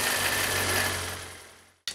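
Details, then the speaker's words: Kawasaki ZR-7S with a Zephyr 750 engine, running then shutting off: fast, light clatter from the lower engine; cause was one of three generator stator bolts with its head broken off, rattling under the generator cover. "ヤフオで購入したカワサキのバイクZR7Sです一応走れる状態ではあるのですがどうもエンジンから変な音がします"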